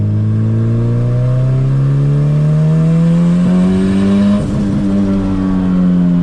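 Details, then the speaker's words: Boosted CRX on its first drive after sitting seven months, first-gear pass: engine note climbs steadily with a brief dip midway, no flutter or chatter; a noise heard on an earlier pass did not recur this time, owner unsure why. "yeah it didn't it didn't do that noise right there that time so I don't know maybe it just needed to get sent"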